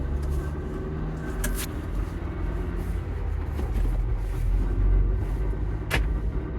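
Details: 2021 Ford Bronco manual transmission: rough low grinding rumble at a standstill in C, 1st, 2nd or neutral; goes away when clutch pedal is depressed.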